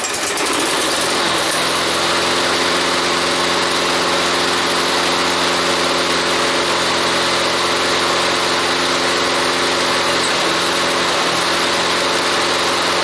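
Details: Toro lawnmower after repair with bolts torqued to OEM spec: steady, even engine drone at constant speed with no squeal or knock; runs smoothly and sounds healthy.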